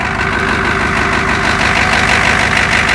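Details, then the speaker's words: 1986 Ford F-250 diesel work truck, cold start on a 14° morning after glow plugs, held at high throttle; steady rapid clatter about three beats a second: normal cold diesel idle. "Glow plug. Get it up to high throttle. I love that sound of a cold diesel in the morning."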